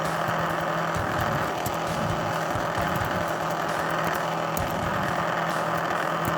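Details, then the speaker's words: Older laptop in recovery command prompt: loud steady rushing fan roar with low hum and key clicks; definitely the fan, owner unsure if something is caught in it or it's broken. "can you guys tell me what you think that is is that the fan it's definitely the fan but is there something caught in it or is it [Applause] broken"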